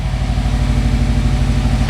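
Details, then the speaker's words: 2005 Subaru WRX STI EJ boxer four starting after compression and leak-down tests showed a healthy engine, with new spark plugs fitted: it settles into a steady, even low burble with no misfire or ticking. Normal idle. "Our healthy ass EJ lives. Not that I didn't think it would. I knew it would."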